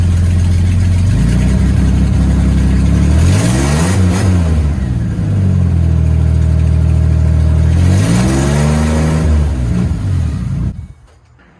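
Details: 1965 Mustang on a modern frame with a sealed shorty header-style exhaust; loud, deep, even burble at idle, two clean revs up and back, then shut-off, running smoothly with no misses.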